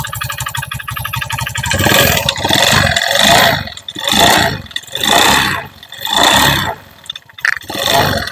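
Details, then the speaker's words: Honda Beat FI scooter, engine run without the roller housing: uneven idle and blips sound harsh and rough. Tightening the cam chain made it worse. Worn piston and cylinder in the engine; piston replaced. "on engine tanpa rumah roller Mas tapi suaranya tetap kasar suaranya tetap masih kasar"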